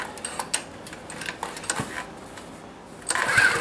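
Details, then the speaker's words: Honda small engine cold start outdoors at about minus 16, gas on, choke on: uneven sputtering pops and hard rope pulls that never settle into running; owner unsure of fuel flow, suspects cold. Hard cold start, sputters. "Well, that doesn't sound good. I don't know, that's not good. Too cold maybe. That's really hard pull."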